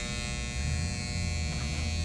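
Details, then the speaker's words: 2012 Carrier heat pump condenser, 3-ton, not cooling: loud steady electrical buzz with a low hum underneath and no fan or compressor spin-up; the contactor is suspected and a bad capacitor possibly as well. "sounds to me off RP like maybe a a buzzing sound come from the the contactor but uh let's see what we got"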